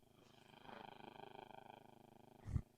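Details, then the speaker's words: Fake JBL Flip 6 Bluetooth speaker after reassembly, connected to Bluetooth with nothing playing: low pulsing purr-like buzz and clicking through the speaker; abnormal noise, cause not yet found. "is a tremendous noise coming from this. which I'm pretty sure is not normal."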